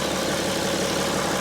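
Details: 2012 BMW X5 3.0 diesel AWD, warming up, buttoned up after a fix for a failed EGR cooler. Short stretch of steady, even diesel idle with light clatter and no misses or knocks: healthy.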